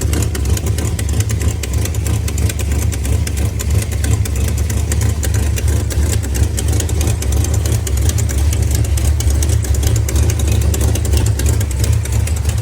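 Fast, steady ticking, roughly three per second, sits over the idling engine's rumble; an abnormal tick whose cause remains uncertain. Cause suspected, not confirmed.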